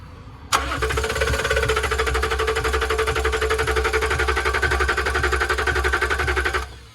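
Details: Range Rover diesel that still won't start: steady starter cranking at about four beats a second for six seconds, never catches or fires, with a component unplugged during a fuel pressure test making no difference; fuel-side cause not pinned down.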